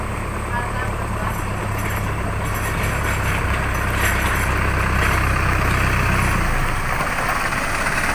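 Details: Isuzu 4HL1 diesel with hard starting and frequent stalling (computer box, high pressure pump, SCV and feed pump already replaced), after the repair, with the relief valve discussed: steady low diesel clatter at an even idle with no dips or stumbles.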